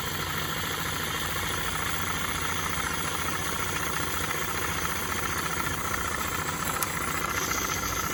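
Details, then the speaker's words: Accucraft Ruby 5 live-steam locomotive, owned since about 2015, hot at around 20 psi boiler pressure, run in place without track; steady soft chuffing about three beats a second under constant steam hiss, even and unbroken, runs good. "Yeah, she runs good. We're around 20 psi at the moment."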